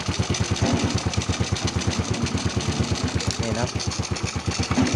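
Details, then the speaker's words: Honda Wave 100S, 20+ years old, after repair for black smoke and frequently fouled spark plugs (cam chain and valves done, original cam): small single thumps at a steady, even idle, only a faint stumble; normal idle. "มันอาจจะมีสะดุดนิดๆหน่อยนะครับอาจจะเดินไม่เรียบสักเท่าไหร่นะ"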